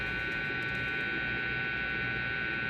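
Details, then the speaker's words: Brand-new Schecter Mach 7 with Evertune bridge, via Radial Pro DI into Focusrite, noise gate off: steady buzz with thin high whine; touching strings or bridge doesn't quiet it, touching jack or a pot does. Grounding hum. "But when I touch the strings, that should quiet down. It does not. When I touch the bridge, same thing, it doesn't quiet down at all."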